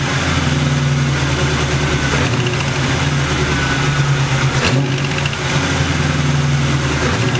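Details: Internally stock LT1 V8 with about 70-80k miles and long-tube headers, idling then blipped: a sharp puffing tick on the firing beat, which was an exhaust leak at the rear driver's-side header port, fixed by tightening.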